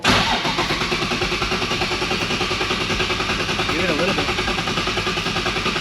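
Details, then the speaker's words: Nissan S15 with a VQ35HR swap and a nearly finished turbo kit, first start attempt. Very large injectors may flood it. Even starter cranking at about 2.5 beats per second for six seconds, never firing. Cranks, no start. "20 minutes later all right you guys want to see this [ __ ] not start again"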